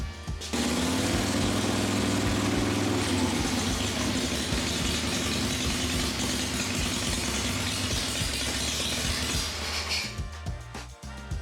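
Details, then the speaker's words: Motorcycle V-twin with primary case still off after helicoil repair and final checks, restarted to check the charging system; even, steady beat at constant idle with no knocks or misses, oil circulating everywhere, charging confirmed. Normal running. "she sounds good everything's good all right now everything seems to be fine we got oil circulating everywhere everything's fine"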